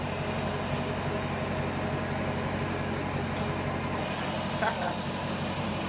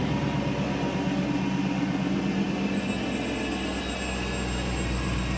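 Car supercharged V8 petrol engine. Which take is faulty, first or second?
second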